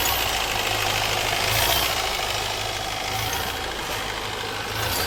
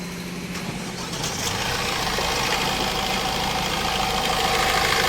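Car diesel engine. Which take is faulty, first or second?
first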